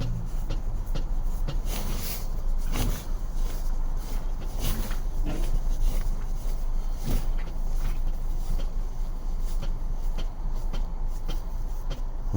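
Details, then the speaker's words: 2024 Jaecoo J7 Supreme AWD: scattered dull clunks over low engine rumble while turning the wheel, diagnosed steering rack knock, stronger in some positions; splash guard rubbing fixed but noise remains. "так вот диагностировали тоже стук рулевой рейки То есть он тоже не просто так проявляется"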